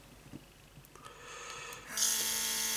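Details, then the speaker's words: Elikliv cordless airbrush kit, about 6–7 months old, opened fully during cleaning to blow into kitchen towel: sudden steady hissy crackle as air blasts through freely, normal airbrush air flow. "can hear the crackling noise that means the airbrush is now blasting air through"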